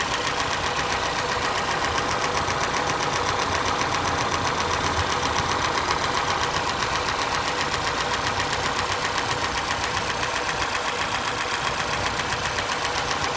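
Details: Lada Niva engine at steady idle with a sharp, regular knock about four times a second riding on top; clear internal knock, cause not identified.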